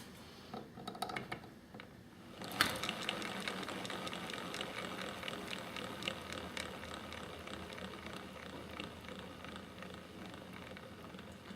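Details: Trex 600e Pro DFC RC helicopter, rotor head spun by hand: rough ticking whir that fades as it coasts down; owner suspects the front torque tube drive gear assembly, its bearings or the umbrella gear, unconfirmed.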